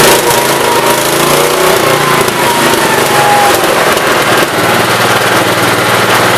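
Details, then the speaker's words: 1969 Gravely 432 after the carb main jet, out too far, was leaned and the carb cleaned. Loud, steady single-cylinder drone with even firing and no popping or backfire under throttle, running well. "pretty good now it's running amazing main was out to know everything was out a little too far cleaned her out a little bit she's not popping them bangin while you're trying to accelerate"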